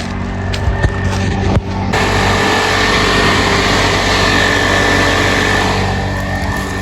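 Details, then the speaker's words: Mitsubishi 3000GT with pusher radiator fans, one quality SPAL, one cheap eBay fan: loud steady rushing drone with fixed high tone and buzzy rattle; eBay fan is loud and vibrates a lot. "you guys can't tell that one is the is the eBay the loud one small one's quiet but it does make that one makes a lot of vibrations"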